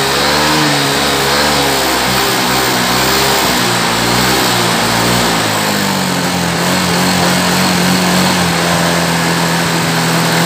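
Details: Yamaha Mio M3 scooter after repair of a noisy, rough head, where worn, seized valve rocker/roller and camshaft parts were replaced. The engine revs up and settles back to a smooth, even idle with no head clatter. Normal revving.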